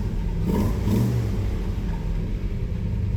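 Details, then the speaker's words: Car with new big-cam engine that made no power, after distributor reinstalled and air filter fitted: starts nicely, deep steady rumble with even beat, no misses or knocks, idling around 1000 rpm; baseline normal idle. "Starts nice."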